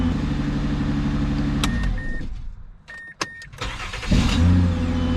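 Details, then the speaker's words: 2006 Mazda 6 V6 automatic after starter replacement, second start: brief run, then quick crank that catches promptly and settles into even idle; new starter engages and engine starts cleanly. "hey look it works a second time too"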